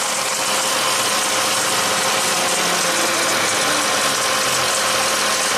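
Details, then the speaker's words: 2016 Dodge ProMaster van with water intrusion, running on original PCM while diagnosing P0760 overdrive solenoid code and transmission limp mode; steady, even idle under loud fan hiss, no misses or knocks, running fine. "So the van's running now just fine. It's happy."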